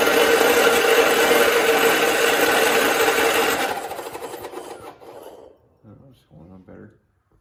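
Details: 1969 John Deere 112 patio tractor: starter spins the engine in a steady rasping beat, about three compressions a second, but it never fires; owner suspects a bad ignition coil causing lost spark and plans to replace it.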